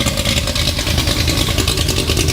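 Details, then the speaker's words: Ford highboy truck V8 with headers and a new cheaper chambered muffler, after new main and rod bearings, recorded in the shop: deep, fast, raspy rumble, louder than the old muffler; owner suspects cam profile, headers or high-flowing engine. "yeah really loud like I can't even hardly hear myself talking here of course we're in the shop so that's going to make it worse"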